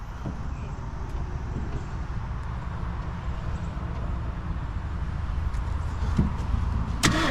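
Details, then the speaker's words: 1965 Mercury Montclair 390 FE big-block V8, long-sitting, first turnover with starter before fluids checked: spins over at an even pace with no knocking or clatter; engine turns freely. "So we know, man, it turned over, didn't sound, didn't hear much knocking, noise, anything like that."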